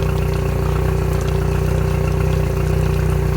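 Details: 2021 Yamaha F70 70 hp four-stroke tiller outboard, about 128–129 hours, on bench test after new harness, ECM, starter, PTT relay, oil, filters and plugs: steady, even idle with a smooth low beat, no knocks or misses; running cleanly.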